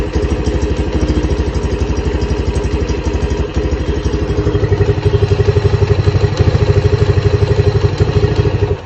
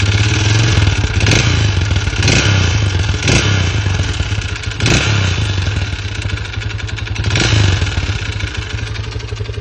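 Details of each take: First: Lifan CityR 175, 10,800 km, cold, first start after a cylinder and piston replacement for a knock, carb flooded so it won't idle: steady even thumping about four beats a second, no knock or rattle. Normal running. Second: Lifan CityR 175 (162FMK engine), 10,800 km: after refuelling it stalled at about 90 while riding, restarted but began knocking; sharp heavy metallic knocks about four a second at idle, mechanic suspects head wear; piston knock.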